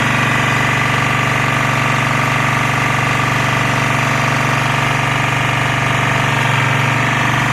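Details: Lombardini 6LD260 air-cooled diesel on a traffic sign, just cold-started after 10 years unused on fresh fuel, alternator charging battery; steady chug about four beats a second, firm low thrum, tone changing slightly as lights flash; normal idle under electrical load.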